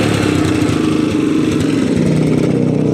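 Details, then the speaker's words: Motorcycle that misfired with its lights switched on, after replacing a grounded rectifier/regulator that had been miswired: the engine revs cleanly with a steady crisp buzz and no stutter or cut-outs, pulling well; normal revving. "Revolusyon. Ayan. Maganda yung hatak ng motor."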